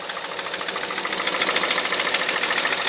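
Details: 2006 Honda Civic Hybrid 1.3 IMA engine at idle: sharp, regular knock about 3.5 per second, silent above 2200 rpm; cause unknown, suspected camshaft, valves, bearings, timing chain or piston slap.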